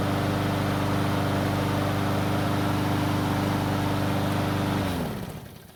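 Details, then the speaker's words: Stolen-and-recovered John Deere pull-start mower, restarted cold in two pulls with three primer presses: smooth, even idle with steady low hum for nearly five seconds, then winds down cleanly at shutoff; still sounds great, normal idle. "the best part is that it still sounds great so it's time away didn't seem to hurt it"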